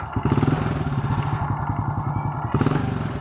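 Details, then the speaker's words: Honda Supra Fit motorcycle engine at idle, complaint of knocking from the right-side crankcase; rapid hard, loose metallic clatter low in the engine at every turn, pointing to worn crankshaft play. "kali ini kita ada kedatangan Supra Fit yang dimana keluhannya suara ngelotok di bagian bab samping kanan mesin suaranya seperti apa kita coba dekatkan dulu"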